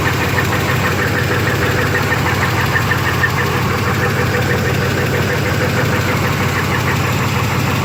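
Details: 1991 Chevy S-10 V6, just bought: steady idle with a regular tapping knock about three per second; owner unsure if flywheel or engine.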